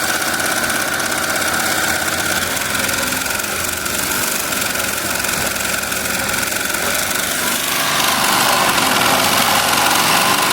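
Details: Melco Summit embroidery machine stitching a jacket logo: fast, even mechanical chatter with no stumbles, knocks or grinding; healthy at high speed.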